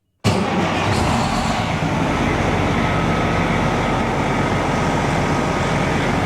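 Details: Truck diesel after injector replacement, bad injector found without fault codes, having had a rough idle; settles into an even, steady idle with no misfire stumble or pinging; running smooth after repair.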